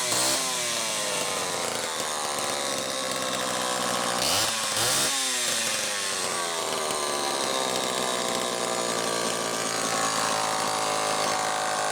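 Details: Homelite XL-12 chainsaw, final test run after repairs starting with the ignition: crisp two-stroke buzz rising and falling smoothly with throttle, no misfires or stumbles; runs clean and strong.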